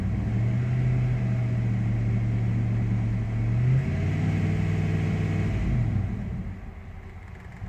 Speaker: pretty much what happens is when you give it the beans with the throttle and you let off, the RPMs will dip real low, and sometimes so low that it will just kill the whole truck.